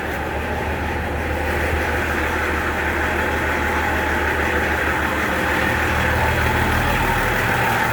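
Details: Nissan LD28 diesel truck engine, just started after glowing with a partly repaired starter, idles with steady clatter and a constant low drone, no misses or knocks; sounds healthy with good compression.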